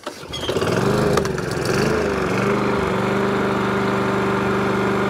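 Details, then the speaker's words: Briggs & Stratton lawnmower engine, hot with no choke, after cleaning the bowl-nut-jet carburettor with thumb drill bits; it pulls up and settles to a steady, even idle, so the hunting and surging is cured. "you go fixed idle on a full throttle fix is a hunting surge problem 99 of a time"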